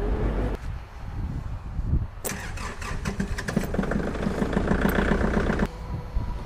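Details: Kubota small diesel tractor cold-started in snowy conditions: short crank, then catches and settles into a rapid, even diesel clatter; clean, easy cold start.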